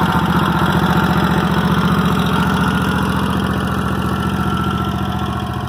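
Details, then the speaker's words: Toro walk-behind mower at about 3000 hours, plugs only ever cleaned and no carburetor problems: steady, even single-cylinder thumping at idle with no misses or knocks; it runs normally. "I'll start it up for y'all. Y'all can hear how it runs and idles."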